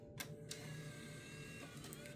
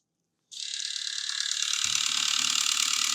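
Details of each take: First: Nintendo Wii with a faulty disc drive, after cleaning and repair. Quiet smooth motor hum with a couple of light clicks as the disc is drawn in and spun up: normal disc loading. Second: Nintendo Wii with bad disc drive, top assembly ruled out, powered on: high, rapid ratcheting clatter at a few clicks per second, steady and gear-like; disc drive mechanism gears grinding or slipping.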